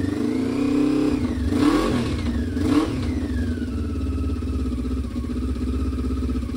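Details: 1996 Honda CB500 twin, not run in over six years, first start: revs then drops back to a lumpy, uneven beat with missing firing pulses; running on only one cylinder; vacuum leaks noted before starting.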